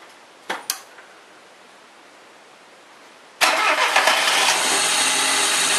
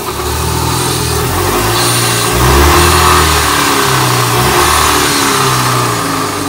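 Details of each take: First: Chevrolet Corsa that was weak and noisy and hard to start, after camshaft timing marks were realigned with the crankshaft: a few quiet clicks, then it catches at once, cranking faster than before, and settles into a steady, even run with no knocks or rattles. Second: Chevrolet Corsa, weak and hard to start, owner suspects broken camshaft/timing: engine revs and settles with a rough, uneven drone and rhythmic beat; abnormal noise with power loss, cause unconfirmed.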